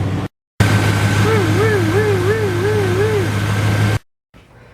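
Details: Chevy/GMC 1988-95 Silverado/Sierra 5.0/5.7 V8 with mechanical fan, after replacing the glazed squeaking belt and the tensioner: engine idles with a smooth, steady rumble and no squeal or rattle from the front; the belt drive is now quiet.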